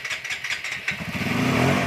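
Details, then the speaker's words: TVS Apache RTR 180/160 after repair of an electrical current problem: a few quiet clicks, then the engine catches within a second and settles into an even, steady idle; starts cleanly. A welding fix to prevent a further short is still pending. "तो bike start हो चुकी है।"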